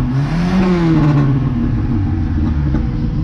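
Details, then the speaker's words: 1982 Dodge Rampage, long-stored, freshly started on gas poured into the carburetor after bad gas was blown out of the lines. It revs up and settles with a faint unevenness in the beat; slightly rough running. "Oh my goodness, it started right up. It's a little bit rough, but"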